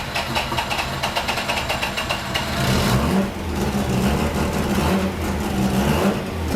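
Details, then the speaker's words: Rotary-engined Miata ("Doomsday") on its first start after a build: quick choppy pulses then a loud, lumpy but steady rotary idle running on its own, lots of smoke; healthy idle, not getting hot. "all right we need it for 40 pounds of boost idling on her own"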